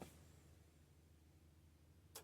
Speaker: So now this will click back on, and it'll go back to the UPS. Give it a second, it has to click.